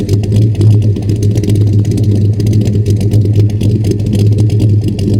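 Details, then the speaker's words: 1940 Chevy Coupe V8 bought at auction, heard at the exhaust, possibly slightly cammed: deep loping rumble with uneven choppy beat; normal cammed V8 idle. "let's take you back to the exhaust I think ladies and gentlemen she might be just slightly cam"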